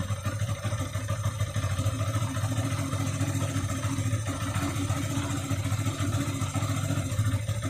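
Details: 2013 Yamaha FZ16 carburettor version with 34,000+ km, held steady at about 2000 rpm: an uneven pop breaks through the exhaust beat. It is absent at idle and above 2k, with no black smoke; the source is not pinned down.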